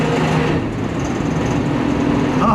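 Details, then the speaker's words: Slant-six petrol engine run with its oil replaced entirely by Dawn soap, running rough with a faint light knock under a steady hum, the knock growing worse when driven. "Here's a knocking. Here's a little knocking. It's probably not good."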